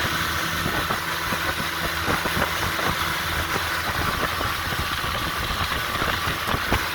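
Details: 1958 Johnson FD-12 18hp two-stroke outboard on a Sea Nymph 14R, new points and condensers: busy, rapid putter at a steady idle with light rattle from the aluminum hood; normal idle.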